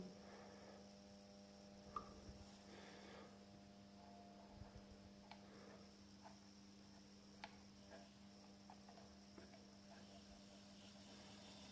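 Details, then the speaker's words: Welling 230 V AC induction pump motor from a Galanz dishwasher, fed a low voltage from a variac: faint steady low hum with a few light clicks and no run-up. At this low voltage it fails to self-start and needs a push. "we go so the mall motor works at about 80 volts AC when we apply some assistance to it"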